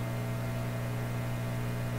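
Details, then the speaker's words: Canadian Admiral J104X/J105X console radio amplifier with ongoing oscillation and hum problems: loud steady low buzzy hum with the input open-circuited; mains-type hum, source not yet traced. "so the input is open circuited now which is why you hear that kind of hum coming in"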